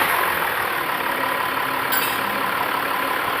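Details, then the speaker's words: Range Rover Sport at idle after replacing the belt and the old idler pulley that caused a chirping noise: steady, smooth hum with no chirp or squeal, and no noise after an 8–10 km test drive. "तो आप देख सकते हैं कोई आवाज़ नहीं है पहले चार-चार की आवाज़ करती थी"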